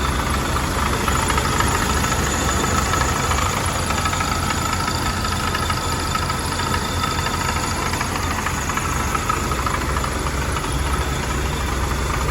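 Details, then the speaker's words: 1979 Hurst/Oldsmobile Cutlass W-30 V8, warm start with original mileage and hood open: a loose, fairly regular knock of two to three per second over a rough warm idle. Engine knocking at idle, source unknown. "for anybody that's unfamiliar that lovely knocking sound is courtesy"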